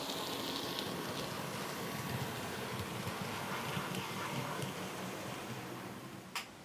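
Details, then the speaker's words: Bachmann class 47 model loco, normally grinding in one direction, running in the other direction: quiet, soft, even whir with a faint regular patter about four per second and no grinding; smooth. "it's weird in One Direction perfectly silky smooth have a listen"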